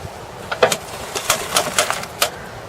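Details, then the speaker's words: Tankchair powered wheelchair (pre-2014, known faulty module batch) attempting to turn: about eight sharp uneven clicks with no steady motor drive, moving a little then stopping; drive control module fault. "just goes so far clicks a few times and stops"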